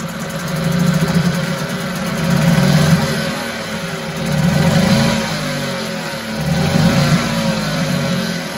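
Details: 1974 US-made Mercury 4 hp single-cylinder two-stroke outboard, revived after long storage, running in a test tank after reassembly: steady buzz, revs swelling and easing every couple of seconds with clean even firing; normal running.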